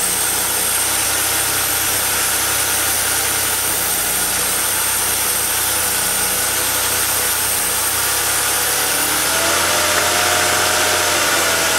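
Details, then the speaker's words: 2002 Mercury Sable after ignition overhaul (new plugs, wires, coil pack, valve cover gaskets and seals), idling: smooth idle under a loud steady hiss with faint pulse; vacuum leak near EGR suspected, not found. "a little vacuum leak by the EGR let me fix that all right let's try that again"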